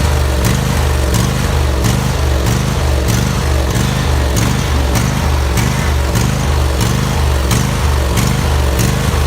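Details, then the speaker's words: Husqvarna YTH2348 riding mower, 23 hp engine, 48-inch cut: engine speed rises and falls in a steady pulsing rhythm roughly every half second instead of holding even; engine surging, cause being troubleshot. "it's got a 48 inch cut and it's got a surging engine problem which I'm trying to troubleshoot"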